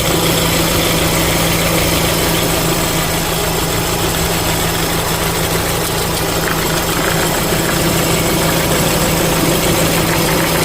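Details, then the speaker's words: 2013 Renault Fluence idling: a harsh whirr from the belt drive rises and falls as the tensioner is pressed with a wrench, and stops when it is pushed down. The tensioner and 6PK1218 belt are being replaced. Faulty belt tensioner. "aí eu vim aqui caii a chave empurrei para baixo barulho parou assim identificado o problema no tensor a gente vai trocar o tensor"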